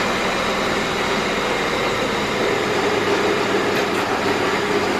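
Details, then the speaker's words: 2005 Hyundai XG350L with check engine light and codes P0350, P0300, P0302, P0305, at idle: uneven lumpy idle with a slight stumble, sounding like one cylinder misfiring though codes show two. "As you can see, it does have a rough idle. Now, according to the codes, I'm showing 2 cylinders on a misfire, but it just sounds like one."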